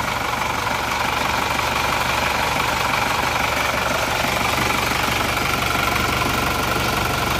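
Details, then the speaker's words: Diesel after an engine rebuild (compression good, new rings, timing gear and nozzles replaced): loud clatter with a lumpy idle at about four beats a second. Nozzles are fine; the rough, uneven idle is from the injection pump, which needs service. "nah jadi seperti inilah ginjalnya enggak enak ini Bos pomnya dari bos pomnya seperti saya seperti ini enggak enak kurang rata jadi masih perlu diratakan"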